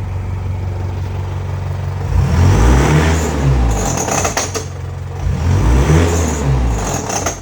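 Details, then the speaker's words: Isuzu 4JJ1 diesel-swapped Nissan Patrol, about 5,000 km after the swap, revving up and down with a rough, uneven rattling clatter under the engine note, worst as revs climb; intermittent abnormal engine noise of unconfirmed source. "But even Mike, who does this for a living, was sort of stumped by the sounds, and because it was intermittent, we sort of weren't thinking that it was what it is."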